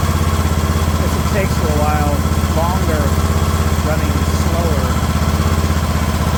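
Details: Craftsman LT2000 riding mower engine at a slow idle: even pulse about four beats a second, steady speed, no misses; normal idle.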